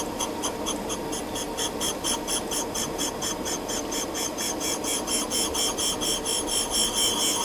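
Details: Cylinder head valve seat refacing with abrasive stone at same angle as valve, intake and exhaust: constant, even rasp pulsing about twice a second without catches, judged by ear to mean the seat contacts all round and is smooth.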